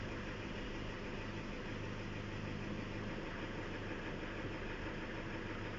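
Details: Toyota Fortuner diesel, which had a no-start caused by the interlock: a low, steady idle with an even rumble and no misses or knocks; it settles and sounds healthy.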